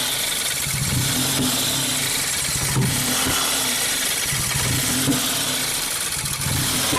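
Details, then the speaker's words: 2017 Ford Focus after DSG transmission and dual clutch swap, codes cleared, pedal untouched: lumpy idle that won't settle with sharp pops every couple of seconds, backfiring. Cause unknown. "We removed the air pipe, disconnected the mass airflow sensor, start it one more time, and we'll see that it's backfiring into the intake manifold."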